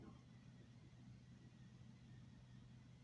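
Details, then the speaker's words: BMW 330d/330xd E46 diesel after fuel filter replacement, ignition cycled on again, engine off: low steady hum at one pitch with no clicks or rattles, in-tank fuel pump still priming the filter; normal. "On remet la clé. Voilà. Là vous voyez, on entend quand même un petit bruit."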